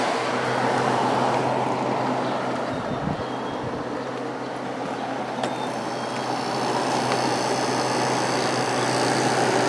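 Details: Vintage Kenmore (Whirlpool) 5,000 BTU window air conditioner with a Matsushita rotary compressor, freshly started on a warm day and already blowing cold; steady low hum with smooth airy fan whoosh, very quiet, no knocks or rattles; normal running.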